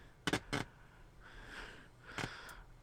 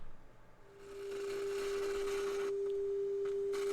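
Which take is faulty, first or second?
first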